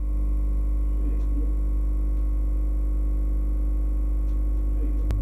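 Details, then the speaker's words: Dishwasher pressed to start gives only a steady low drain-pump hum running nonstop with no water filling; anti-flood float switch tripped because water has leaked under the machine. "sürekli bu sesi alıyoruz. Bu sesi aldığınızda arkadaşlar bulaşık makinesinin altına su geçmiş demektir."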